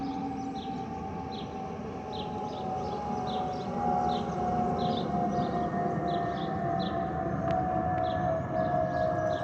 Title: Delta Airlines Airbus A319-114 N358NB DL2562 DCA-DTW (FOPP whistling sound)